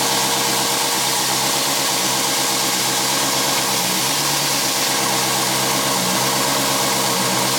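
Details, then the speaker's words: 1959 Studebaker Lark, 259 V8, first run after sitting 36 years, on choke. Harsh, ragged running with a loud hissy, rattly edge over an uneven idle. Smoke pours off one side and the owner wonders if the block is cracked; cause unclear. "I wonder if that block is cracked like why is it smoking so bad off the side oh all right [Music] [Applause] [Music] foreign yeah yes why is that awful noise"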